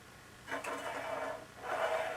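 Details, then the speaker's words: Bicycle wheel being trued with a homemade gauge: a soft scraping rub twice per turn where the out-of-true rim brushes the gauge. "can hear from the rubbing sound that it's also high this way so we want to do is tighten up the spokes on this side of the wheel"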